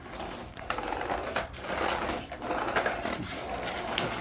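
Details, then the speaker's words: Two-month-old Electrolux Power Speed Ultra 1300 W vacuum with HEPA filter, while vacuuming: an uneven flapping rattle in short bursts over the motor hum as the head moves, likely a stuck plastic strip under the base slapping. "aí eu fazendo a limpeza em casa me incomodava com o barulho que é esse aqui"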